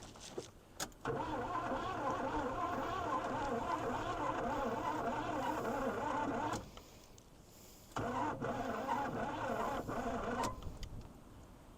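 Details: 1980 Pontiac Firebird, 301 V8, sitting 17 years, fuel added at carburetor: starter cranks in two long bursts with a faint squeal, never fires, then hits a hard spot. Cranks but won't start.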